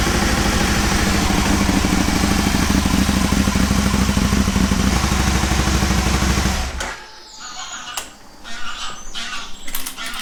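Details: Aprilia Caponord V-twin idling with a steady, even beat for several seconds, then shutting off, during tune and ECU setup with vacuum gauges; no ticks or misses, and it sounds healthy.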